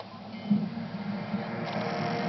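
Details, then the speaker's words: Xbox 360 drive after fix for laser hitting disc (paper spacer between disc and rubber ring under reglued magnet), here shown without the paper playing a movie: soft, steady disc whir, no scraping or grinding; normal. "plays just fine and that's without the paper and you're going to see it's going to going to play for you no problem"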